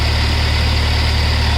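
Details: Hyundai Verna Fluidic diesel idling after a cranking-but-not-starting fault was fixed; alternator charging checked at 13.3–14.4 V, about 13.5 V with AC and headlights on. Even, steady diesel clatter with a deep constant drone, no misses or knocks; healthy idle.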